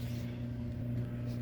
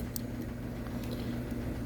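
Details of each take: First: Prewar Lionel 226E O gauge steam locomotive with a pancake motor: a steady low buzz with a faint hum comes from the armature shaft spinning in a dry phenolic bushing. The bushing has absorbed its oil and needs lubrication. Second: Prewar Lionel 226E O gauge locomotive with a pancake motor, after one drop of oil on the dry phenolic armature bushing: a smooth, even low hum with no buzz or rattle. The vibration noise is cured.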